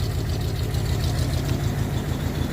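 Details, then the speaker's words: 1962 Dodge D200, 318 Poly V8, unrun since about 2013, oil poured down the cylinders, just revived: low lumpy idle with uneven chugging beat and faint knock; runs but rough, will smoke. "she's gonna to be huffing smoke for a while we put a lot of oil down them cylinders cleaned up well let's just go take a look-see then oh yeah not so bad it doesn't even sound that bad listen to that"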